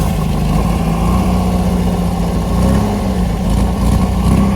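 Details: 1974 MGB roadster parked 30 years, new points, rotor and plugs: loud low engine note surging and stumbling unevenly; clacking quieter than before, fuel maybe now getting in, still not running well, oil pumping out of dipstick tube.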